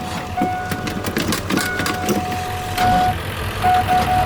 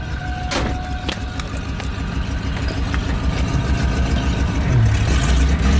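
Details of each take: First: 1989 Ford Bronco cranking on a dead battery, being revived with new battery cables: sluggish, uneven churning about one labored turn a second, never catching; starter dragging on a flat battery. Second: 1989 Ford Bronco, after new battery cables, warmed up and driving around the yard: a few clicks and knocks, then a deep engine note climbing cleanly with throttle, no stumble; normal throttle response.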